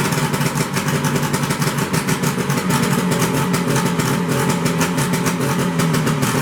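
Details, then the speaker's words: 1973 Skiroule RT 440 two-stroke snowmobile revived after unknown storage: very loud raw crackle with sharp rapid pulses at idle because exhaust pipe popped off (missing spring); kill switch doesn't work. "God, that's loud. Oh, my ears. This thing is loud. No wonder it blew the the pipe up."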